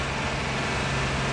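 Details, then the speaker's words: Diesel generator at a race track running away at very high speed: steady, high, even drone with no let-up; governor not shutting it down, needs a fuel or air kill. "Governor's not shutting her down"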